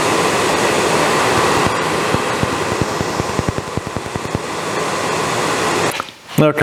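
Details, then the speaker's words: Suburban RV furnace: gas valve opens and gas is smelled, steady blower rush with a loose run of faint clicks, about two a second, fading without catching; igniter fails to light the burner. "i could smell gas i never heard it try to ignite maybe maybe click a time or two"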